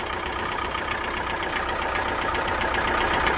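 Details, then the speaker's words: 2005 first-generation Chrysler PT Cruiser, towed in from another shop after an oil sending unit job: steady, fast metallic knocking at idle, about four raps a second, with heavy blow-by and oil leaking near the oil pressure sensor; engine knock from oil starvation. "Oh, y'all hear that noise? Oh, no. Oh, so it's knocking."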